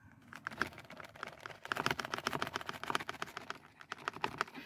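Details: Passenger-side B-pillar of a car: quick, uneven plastic clicks as the loose seat belt height adjuster slides and rattles against the trim. Fix is Velcro between the two pieces, or a rubber O-ring after removing the adjuster with a Torx 45.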